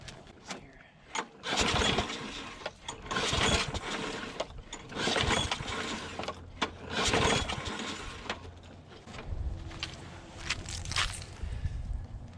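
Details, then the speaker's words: Older Troy Bilt push mower: repeated scratchy pull-cord rips, engine only coughing, never settling; primer works but fuel leaks, owner suspects bad float bowl gasket/O-ring; hard starting. "no it's priming up now yeah we're leaking fuel i think it's got a a bad gasket on the float bowl let's see if it'll start"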